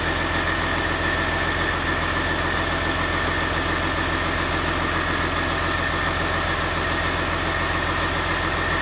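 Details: CAT C13 diesel after rebuild for destroyed camshaft, lifters and general wear: steady, even idle with a constant low drone and no knocks, misses or rattles; normal idle.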